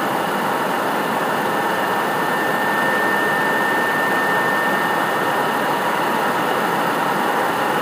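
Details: PS4 CUH-1216A (CUH-1200 C-chassis) running Witcher 3 as a digital game, placed horizontally on a media center 15 cm from the back wall, peaking around 63 dB: loud steady airy rush with a thin high whistle as the cooling fan runs hard under load.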